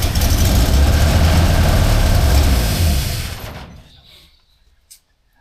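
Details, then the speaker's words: 1977 Holden HX: lumpy, uneven low rumble for about three seconds, then it fades and stalls and can't be revved. The carburettor's accelerator pump is missing its spring and jet. "you can see, it runs, but it's um can't really rev it. It's dying out for some reason."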